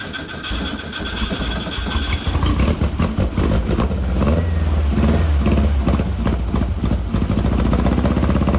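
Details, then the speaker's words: 1956 VW Bug flat-four, twin replacement 40mm IDF/HPMX carbs: lumpy uneven idle with missing beats, running on two cylinders off the passenger-side carb only; driver-side carb gets no fuel, float needle suspected stuck, its adjustment screws disconnected. "well she's running she ain't running good and i don't really recommend doing this but just for example i still have nothing going on on any of the adjustment screws over here on the driver's side carburetor"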